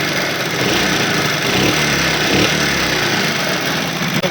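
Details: Motorcycle engine idling, hand over the silencer, then revved: busy, light metallic clatter from the top end due to excessive tappet valve clearance, before adjustment.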